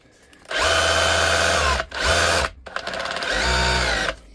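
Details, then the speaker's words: DeWalt DCH273 cordless SDS rotary hammer after full teardown, service and reassembly, tested on battery: three bursts of steady motor whine with an even, rapid hammering chatter; normal hammer action. "You hear and feel the hammer. That's ordinary drill mode. You can hear the difference between ordinary drill mode and hammer."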